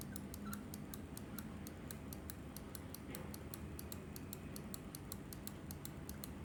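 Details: Glorious Model O mouse button, squeaking since about two months of use: quick light clicks about four a second, with a faint squeak on some presses. Squeaky clicks, cause unclear.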